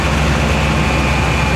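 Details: 2000 Chevy Tahoe LT 5.7L V8 after distributor replacement for a crank-no-start (out-of-time distributor, shaved gears), during cam retard adjustment near 1000 rpm: steady low, even, smooth idle rumble with no misfires, stumbles or knocks; running normally.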